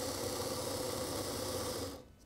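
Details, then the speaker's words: Model railway locomotive on a rolling road at full power: a rough, buzzing whine with a gritty hum. Worn motor due for replacement; cause not confirmed. "if i turn it in reverse it seems to run slightly faster in reverse there's obviously quite a lot of shuttering going on here"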